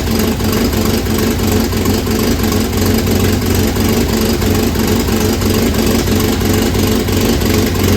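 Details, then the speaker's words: 1967 Volvo Amazon abandoned for 35 years, running after new motor mounts and exhaust work: a rough idle with a fast, uneven puffing tick about three per second. Exhaust manifold leak; welding it shut is planned. "all that noise is coming out of the exhaust manifold"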